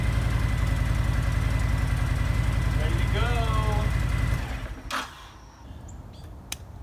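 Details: Honda VTX1300 V-twin motorcycle, stored 5 years and not running, after cleaning the fuel system, tank, lines and carburetor and fitting new spark plugs: lumpy, even V-twin rumble at steady speed before shutting off; runs fine.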